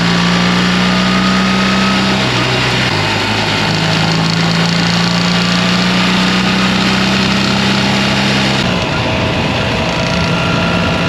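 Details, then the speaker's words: BMW R 1300 GS motorcycle, about 10,000 km, under warranty: GoPro mic on left cylinder head, steady cruise around 3,800–4,200 rpm; constant light clacking under the drone, left side only, owner suspects ShiftCam variation; valve train clatter. "donc comme vous avez pu le voir surtout entendre ce bruit vraiment constant dans la plage entre 3006 3008 jusqu'à 42 je pense c'est là où le chif cam varie et donc il y a ce de claquement et essentiellement de ce côté-là"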